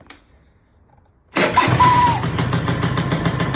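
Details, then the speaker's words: Auction-bought Peugeot Speedfight 2 100cc two-stroke scooter with Leo Vince exhaust, after lowering the too-high idle screw: starts first try and settles into an even steady buzzing idle, some smoke; normal idle. "So as you can see there now, idling absolutely beautifully. It is chucking out some smoke, so I think it probably just needs a good run for glass."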